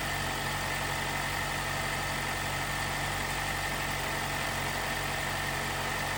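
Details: 2018 Jeep Wrangler JL, 2.0L turbo petrol, after replacing the timing chain tensioner to cure a rattle on cold startup: quiet, even idle with a faint steady whir and no chain rattle, healthy.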